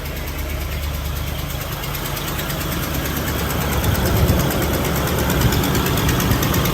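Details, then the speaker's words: Ford Explorer idling with the AC just engaged after cluster as-built data was reprogrammed: rough deep idle with fast sharp puffing ticks from a bad exhaust leak. "And sure enough, the AC came right on. Man, that's a bad exhaust leak."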